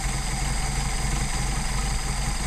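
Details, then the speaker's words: Mercedes-Benz 190SL, rebuilt Solex carbs; idle mixture screw turned in and out to find stumble, then returned to best setting. Steady low idle, even pulse, no stumble or hunting at final setting; normal idle. "What we're going to do is adjust that in and out and listen for the engine to stumble. So we go in. Little stumble, little slow down, back it out. And you hear it getting worse."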